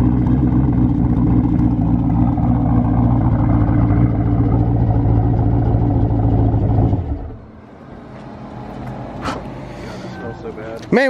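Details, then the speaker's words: Camaro race car ("Cowmaro") creeping in reverse with the trans brake held: a deep heavy rumble with loud, roughly regular banging, which is normal for the billet torque tube and all-billet bushings, nothing broken. "what is that noise going on that's what a billet torque tube sounds like yet all billet bushings in their track ready"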